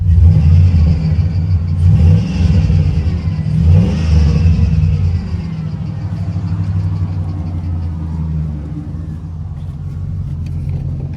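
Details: Marketplace truck with a 6.0 engine, said to have 150,000 miles, started with a jumper box: a deep rumble revs a couple of times and settles back to a steady idle, no misfire or knock heard. Sounds healthy; power steering fluid is spraying.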